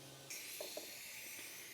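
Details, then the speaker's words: Porsche 911 Carrera, cylinder 5 at top dead centre, spark plug out, leakdown test: faint, steady high air hiss. 80 in, only 12 held; valves have clearance. Leak suspected past the rings or the exhaust valve, not confirmed. "and here's the problem we got 80 coming in and only uh like 12 coming out like I said I already checked the valves do have clearance so it's not a valve adjustment issue"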